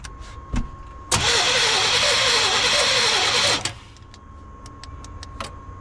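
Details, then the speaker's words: 1989 GMC Sierra 1500 single cab stepside, sitting about 10 months: steady starter cranking for about two and a half seconds with no catch or firing, and no fuel coming out of the injectors; crank no start, no fuel delivery. "on get some gas yeah ain't nothing coming out of them injectors"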